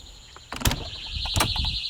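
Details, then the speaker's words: Technaxx TX-100 motion detector sensor alarm, heard from outside: a couple of door clunks, then a steady high-pitched electronic siren held continuously; not very loud outside but audible, alarm triggered and working. "So it's not very loud outside. But you can hear it."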